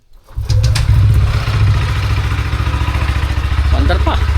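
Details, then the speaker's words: Motorcycle started after sitting unused for 11 days, battery reading 12.1 V; brief starter whir, then it catches on one click and settles into a strong, even idle with no stumbling: normal start. "One click lang. 11 days walang paandar. Buhay na buhay."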